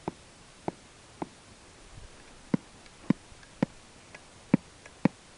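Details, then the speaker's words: Talking figure's eye motor running through its portable amplifier and speaker, with no suppression capacitor on the eye motor: sharp, unevenly spaced clicks, about nine in six seconds, over quiet hiss. "there's no capacitor on the IM motor whatsoever on the head there is but it still makes the noise"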